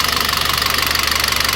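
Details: Citroën C4 2.0 at idle. Fast, crisp, even ticking of about sixteen per second over the idle; oil pressure, oil pump or the lifters on the cam suspected.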